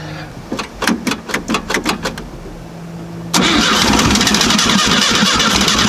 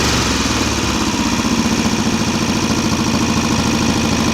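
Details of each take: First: VW Type 3 Fastback carbureted engine reinstalled after tightening loose cylinder heads that rattled cold: starter cranks about eight even chuffs, engine catches cleanly and settles to steady even idle with no rattle. Normal start and idle. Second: VW Type-3 Fastback air-cooled carbureted flat-four, first start after reinstalling the engine with loose cylinder heads retightened: steady fast idle with rapid even ticking. The valves are noisy; the owner thinks he misadjusted the clearance and must readjust it.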